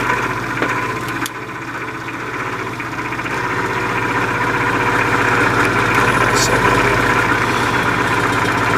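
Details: 1950s Patton 18-inch High Velocity fan, 3.2 A GE shaded-pole single-bearing motor, hot and below speed: strained hum with a steady tremble that builds as it labours; the shaft is binding in a bearing squeezed by end cap pressure.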